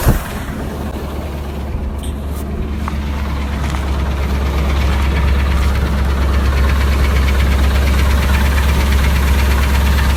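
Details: Idling engine that started making the sound while driving and has been parked since: steady, fairly regular knock under a low hum; owner unsure whether it is rod knock or lifter tick.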